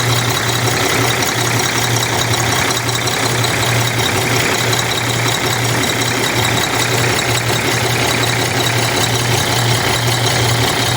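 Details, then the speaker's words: Cummins ISX 870 truck diesel at idle after injector replacement and overhead adjustment, fan running: loud idle with an uneven, lumpy beat about every third of a second instead of smooth clatter; owner says it still has a miss. "Still sounds like she has a miss."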